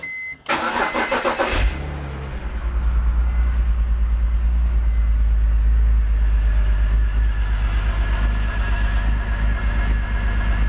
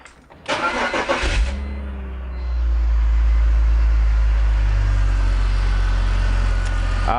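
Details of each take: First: BMW E46 M54 engine after oil catch can install, first start: cranks, catches, then lumpy, uneven stumbling idle; misfire from vacuum leak because the crankcase vent tube O-ring did not fully seat. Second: BMW E46 M54 engine after reseating a tube O-ring on newly installed oil catch can: short crank, then smooth, even idle with no stumble or miss; misfire fixed.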